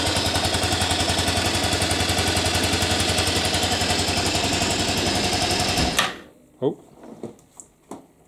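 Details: 1998 Aprilia Leonardo 125 scooter, sat outside long, first run after new battery and carburettor cleaning: quick, even putting beat about four pulses a second, then cuts out cleanly; single running smoothly.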